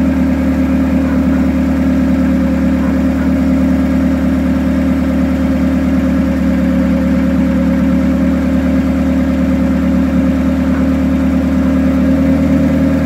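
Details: Turbo Hyundai Tiburon with a Beta head quieter than the Beta 1. Steady, even idle with a constant low drone and no knocks, ticks or hunting; smoke possibly from the turbo. Running smoothly.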